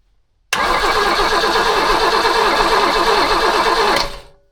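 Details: Abandoned BMW E21 that sat for years, cranked on a briefly charged battery: starter spins the engine evenly about three and a half seconds, roughly three compression beats a second, never catches; fuel filter wet afterward.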